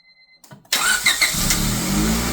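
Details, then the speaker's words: Honda Civic Si with a replacement engine just swapped in, another start attempt: short crank, then catches and settles into a strong, even run with no ticking or chatter; normal start and run. "Oh yeah! Fucking right, man. Right on. Yeah, it starts pretty good."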